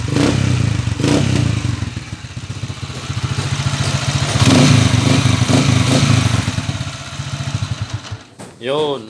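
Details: Uneven clattering beat about three or four per second from a running Kawasaki TMX155 single-cylinder motorcycle engine before overhaul; clearly noisy, cause not stated.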